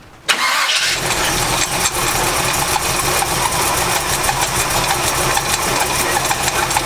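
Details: 1984 Chevy C10 with a power steering belt: it starts and settles into a busy rough run with a harsh scratchy edge from the pump. The belt is loose and slipping because the adjuster won't extend fully.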